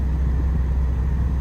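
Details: 2005–2010 Pontiac G5 after replacing the AC blower motor resistor with a genuine GM part: short steady low hum at a middle fan speed, smooth with no rattle, whistle or ticking; blower working normally on all speeds.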